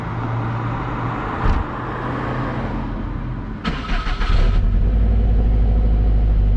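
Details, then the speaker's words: Healthy STI engine: even low rumble, then a quick rev settling into a strong, smooth run with no knocks or rattles; the motor sounds healthy. "doesn't sound too bad right so motor sounds healthy thank God spent too much money on the thing"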